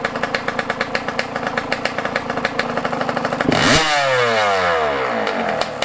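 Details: Yamaha YZ125 two-stroke, running at about 20°F after carburetor adjustment. Crisp popping idle at about three beats a second, then a clean rev up and back down with no bog. Normal running.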